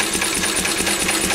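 Quick, even rapid chuffing with a steady beat and no knock or miss; the old engine is running cleanly.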